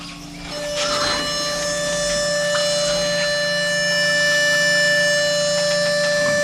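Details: Solidoodle 3D printer homing its axes: a steady, piercing high-pitched whine rises in after half a second and holds.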